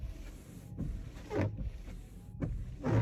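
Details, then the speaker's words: Car windshield wiper with twisted frame, one side not touching the glass, leaving water streaks; rough juddering rasp on every sweep, about once a second; wiper blade chatter. "अगर आपकी गाड़ी की भी wiper blade ऐसी आवाज करती है"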